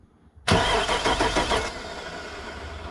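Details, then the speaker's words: Truck with 85,000 miles and suspect plow wiring, cranking with starter relay terminals 30 and 87 jumped. A strong, steady, fast starter chug shows the engine spins freely with the relay bypassed. "so this should if I jump these it should crank okay we got we got an engine that cranks it"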